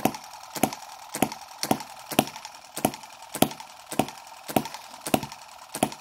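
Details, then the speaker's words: Microcosm M17 1.6cc hit-and-miss model engine after richening the mixture considerably during tuning: regular firing pops at about 105 a minute, each a sharp crack with a dull tail; running rich, and the owner wonders if it will die from over-richness as before. "just riched it up quite a bit you can hear quite a difference but I'm wondering if it will go um you know die from over richness like it was before..."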